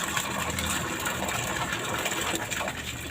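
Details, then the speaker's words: Semi-jet water pump without foot valve, restarted shortly after priming with water still in suction pipe and chamber: steady rushing flow, no sputter or dry whine; pumping immediately, normal operation. "kita coba buktikan atau kita coba hidupkan apakah betul-betul langsung mengalir kita colokan lagi ya ternyata demikian ya Bapak Ibu sekalian mestinya masih mengalir"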